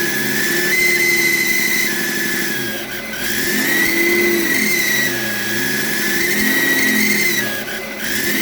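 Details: BMW E38 with M57 3.0 diesel (M57B30) fitted with a rebuilt turbocharger that whines like the old one; a thin high whistle over the engine climbs and falls with revs, fading as revs drop. Unplugging the variable-geometry control valve connector stops the sound; reconnecting brings it back.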